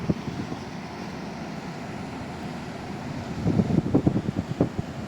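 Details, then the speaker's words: Window-type inverter aircon after cleaning, running and cooling well: steady, even airflow drone with a smooth low hum, no rattle or squeal, and the earlier noise is gone. "Wala nga yung ingay, ano? Ito, natisting na rin to."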